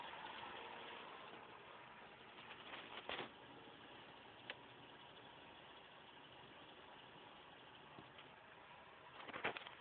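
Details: Factory turbo Toyota 4Runner idling with irregular exhaust puffs and surges every few seconds; pulsing goes away briefly after revving above 3000 rpm, then returns; rough idle cause not found.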